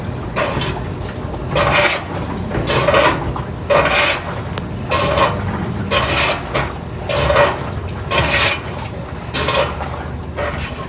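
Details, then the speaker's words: General Electric washer agitating with rhythmic rasping scrape about once a second, louder with more clothes. "bueno amigos buenas tardes o noches aquí tengo este general electric que me la traigan a retar a por qué hace este ruido y que cuando le llama ropa hoy que raspa feo que cuando echa más ropa cuando le echa más ropa dice que hace más ruido"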